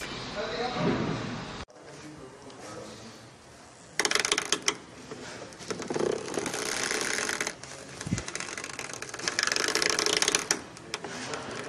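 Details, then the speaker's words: 2017 Hyundai Accent front end: rough rubbing creaks in bursts when turning the steering wheel, caused by dry rubber suspension mounts; fix is spraying lubricant and white lithium grease on the rubber mounts. "when you turn your wheel you know you're going this way or this way and you hear you hear that creaking in the front I'm going to show you what it is this is this rubber mount right here these are what was causing my noise"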